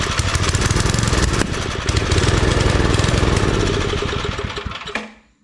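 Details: Old Briggs & Stratton 5 hp wood splitter engine after reassembly, spark confirmed, plug carboned; uneven chug about 3.5 beats a second, sags, then dies. Fuel starvation; carburetor needs parts, carb kit planned.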